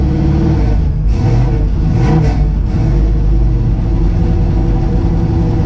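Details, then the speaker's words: 1963 Chevy Nova carbureted engine after fixing a missed vacuum port leak and richened idle mixture screws: rough note sagging and surging with throttle, won't idle at all; idle speed, previously cranked down, needs raising and settings reset. "i gotta reset everything yeah i won't even idle period i gotta raise the idle back up i had to crank it down quite a bit"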